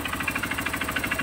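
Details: Honda CRF150 single idling with the exhaust covered by hand: sharp, regular metallic knock about eight or nine a second over the idle from the bottom end; owner suspects the connecting rod, teardown planned.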